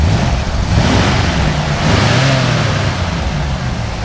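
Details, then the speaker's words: 1971 Ford F100 Sport Custom V8 revved while parked: a deep, even rumble swelling smoothly as the throttle is blipped and settling back, with no knocks or misses. A healthy free rev. "You know, it sounds really nice."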